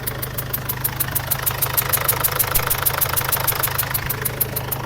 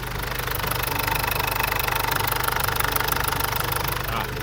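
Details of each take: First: Mazda BT50/Ford Ranger diesel (same engine) at idle: a sharp puffing tick about three times a second over the clatter, heard as air escaping around the injector. Pouring water on it shows a compression leak at the injector sealing washer. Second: Ford Ranger / Mazda BT-50 diesel idling after repair of a combustion leak past the injector sealing washer (blow-by noise at the injector now gone); steady even clatter, no hiss or puffing, normal idle. Full fix may need cylinder head thread machining or replacement.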